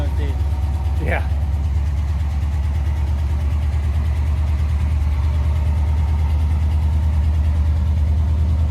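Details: 1992 GMC Sierra 3500HD dually restoration truck idling on its own for the first time after a new fuel pump, fresh gas and a disabled alarm system; deep, steady, even rumble, no misses or knocks: normal idle.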